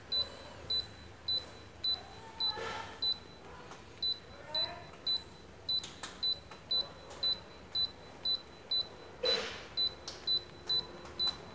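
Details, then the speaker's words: Daikin R32 new-model air conditioner that won't run: during error-code check, short high beeps about twice a second while stepping through codes; code 00 gives a long beep, meaning no stored error. "ให้คุณเห็น00คือเสียงบี๊บดึงยาวถึงศูนย์Noและเครื่องไม่ทำงาน"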